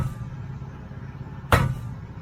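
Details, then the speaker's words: Trailer spring brake chamber struck with a hammer during DOT inspection: single bright metallic clink instead of a dull thud, revealing a broken internal power spring; base also rusted, so the whole brake chamber will be replaced. "this brake chamber is broken this brake chamber is broken and the base of it is pretty rusted too so i'm not only going to replace the spring brake part of it which it has a broken spring in there"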